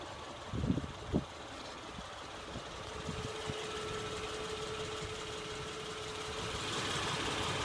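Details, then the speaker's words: 2007 Acura RL with the J35A8 engine at idle: a faint, uneven light ticking about two per second over the engine hum. Owner asks whether this ticking is normal; cause unknown. "Just wondering if this noise is normal ticking for the J35A8 engine."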